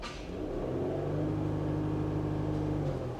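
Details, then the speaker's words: 2017 Chrysler Pacifica, Gen 2 Pentastar V6, with false P0300 misfires that disabled injectors: now firing all 6 injectors, idling smooth; revved, even steady note climbing with throttle, no stumbles or skips. Normal revving. "It's back to firing all 6 injectors now, and idling smooth as could be. Give it some gas."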